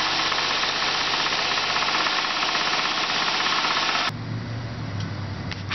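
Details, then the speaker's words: 1984 Oldsmobile Cutlass Ciera convertible, warm idle: a sharp, regular knock about three times a second, which gets worse once the engine warms up. Rod knock; the engine has burned crankshaft and rod bearings and needs a rebuild. "Now you can probably hear the knock. That right there is what you do not want to hear from your car."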